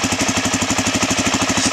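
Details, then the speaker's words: Suzuki DRZ400 after swapping in an eBay engine, cold: crisp, even single-cylinder putter at about ten beats a second, steady; started first try, healthy idle, only an oil leak noted, not yet ridden or shift-tested. "started right up the very first time I hit the button um the only issue was that leak with the oil down there"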